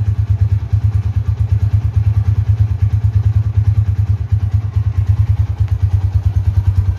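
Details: 2011 Tiger Revolution (Tirev) limited edition, 10,000 km, idling, heard from a distance: deep, even thumping about three beats a second, no knocks or rattles; super smooth, quiet engine, normal running.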